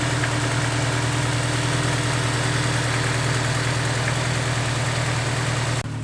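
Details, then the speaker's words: Honda S2000, warm petrol idle after fitting a Ballade Sports timing chain tensioner and a new VTEC solenoid gasket: smooth and even with a steady low hum, no chain rattle or ticking; sounds good, and no leaks were seen. "sounded really good to me I don't see any leaks"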